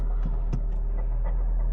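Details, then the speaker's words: Corsa at gentle idle: low throbbing rumble with faint irregular ticking about four times a second, coolant leaking; water pump bearings completely failed, very loose pulley. "So, we'll bring it in and you can hear just how unhealthy the Corsera does sound with the worst sounding water pump I've ever heard. And the loosest water pump pulley I've ever seen. The bearings have completely failed."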